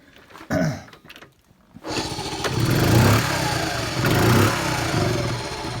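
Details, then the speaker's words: 1974 Honda C50, unstarted about 4 months, November: cranks a couple of times, catches and revs unevenly for a few seconds, then sags and fades; hard starting, stalls after firing, owner suspects ethanol fuel effects. "Maybe they're finally, after all this time, it's feeling the results of the ethanol."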